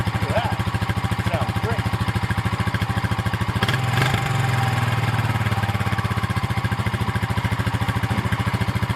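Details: 2000 Honda TRX350TE Rancher ATV after carburetor replacement (old rebuilt carb sputtered and leaked fuel from overflow): steady, even single-cylinder thumping that holds its rhythm with no misses or sputters; runs cleanly.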